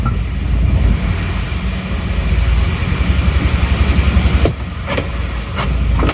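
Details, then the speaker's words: Isuzu Panther diesel (LV Adventure) from Madura, owner complaining of rough sound: low, slow idle with uneven lumpy beat and shaking engine; mechanic suspects idle rpm set too low, and a noise possibly from the fan belt, not confirmed. "mungkin memang efek dari RPM mesin yang terlalu rendah seperti ini kalau goyangnya Emang seperti ini terus"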